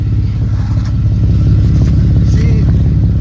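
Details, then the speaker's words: Camaro (392) after catalytic converter welding: loud raw V8 idle burble with an uneven chuffing pulse, exhaust leaking at a loose pipe joint that needs tightening. "you gotta tighten that one up I knew I heard something wasn't right"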